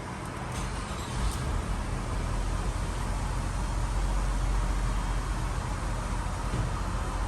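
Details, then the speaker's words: 2007 Lexus RX 350, 2GR-FE 3.5L V6, first start after timing chain and exhaust VVT gear replacement: catches and settles to smooth even idle, no rattle or chain slap; slight smoke from spilled oil on exhaust; sounds healthy. "she's running a little smoke cuz I had some oil spilled on some of the exhaust pipes so it's going to have a little bit of smoke but it sounds pretty good though"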